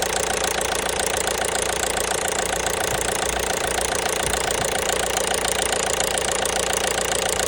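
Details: 1.5 BlueHDi (DV5RC) diesel at idle with a sharp, even metallic tapping about 3.5 times per second. Engine knock, cause unknown.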